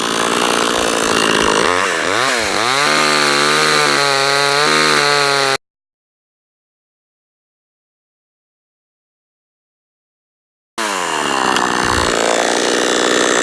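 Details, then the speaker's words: Cheap Amazon chainsaw started with choke, first cut: high two-stroke buzz sags as it bites into wood and recovers cleanly. Cuts normally. "so we're gonna depress the choke and then try to start it up all the way not too bad for the first cut"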